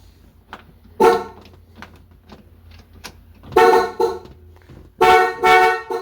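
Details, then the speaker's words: 1965 Ford Mustang with rebuilt 289 V8, ignition on before first start: horn blasts sound on their own in bursts and won't stop; stuck horn from faulty reproduction horn button contacts, fixed by removing horn ring. "Ah, it's possessed. So something's messed up in the horn contacts."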